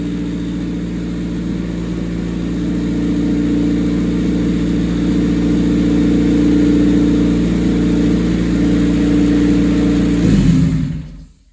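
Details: 1988 Honda CRX, mid-engine swapped with Acura Integra clip and custom turbo kit: engine runs evenly, steady tone rising slightly under a bit of throttle, then shuts off cleanly; normal running.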